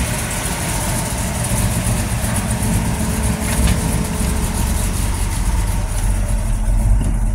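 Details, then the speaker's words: Small-block Chevy V8 in a chassis-swapped 4x4, revving after the valve-spring fix: heads taken to machine shop, Flow Tech springs fitted (120 closed, 310 open). Mild cam, timing untouched. Good oil pressure; revs hard enough to squeal the belt; rough busy exhaust, valve-train noise gone. "and it's got plenty of plenty of oil pressure Zippy enough it'll make the belt squeal but as you can see there's no more valve train noise"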